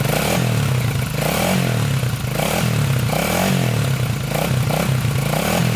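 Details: 1987 Honda 250X single with new valves and coil, 12:1 high-compression piston, tank not yet cleaned: thump rising and falling with throttle, steady beat, no knocking or misfires; normal idle and revving.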